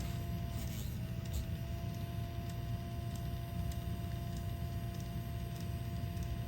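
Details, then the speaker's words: 1984 Bose AW-1 cassette deck, new capstan motor fed from an 18 V bench supply via a regulator giving 12.12 V: a steady high whine over a low rumble holds one pitch after a brief dip; the motor runs far too fast. "And we're just going to see if it fires up. It's obviously working, but really fast."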